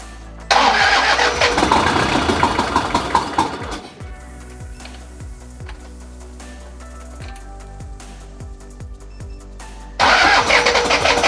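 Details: Toyota Hilux 1KZ diesel, first start after a budget home engine refresh and reinstall: cranks briefly, catches and settles into an even idle with no knocks or misses; background music partly covers it.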